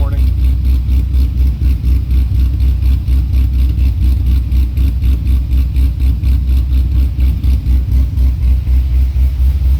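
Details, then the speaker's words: C6 Corvette Z06 with Akrapovic catback, cold start on chilly morning, flaps open: loud deep idle with lumpy pulse about four a second and constant shake, waiting for idle to settle; cause not pinned down. "so we'll give it another minute here so the idle can settle down kind of chilly this morning"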